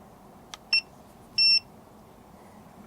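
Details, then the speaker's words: Guta RV TPMS monitor just after pairing its sensors: two sharp high-pitched beeps, the second longer, in a quiet room. Low-pressure alarm because the sensors are not on the tires, so it reads no psi or flat. "so it's going off on an alarm because i don't have them attached to the tire so it's thinking that uh there's no psi and the tire is flat"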